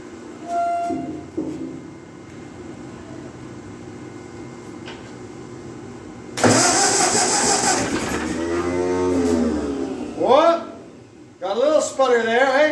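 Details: 1948 Ford 8N tractor in grim condition, cranked again after a compression check: starter grinds over, then a few ragged pops catch and die; it wants to fire but won't run. Cause unconfirmed.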